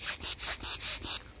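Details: Mercedes with an automatic gearbox that occasionally loses power: six short airy puffs pass both ways through a small one-way valve in the throttle-body line with nothing stopping them, so the check valve has failed.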